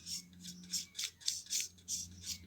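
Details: GT9800 graphics card fan: a low motor hum with harsh, raspy scraping bursts about three times a second from the rubbing fan. The card was taken apart, cleaned and given new thermal paste, then worked 100%.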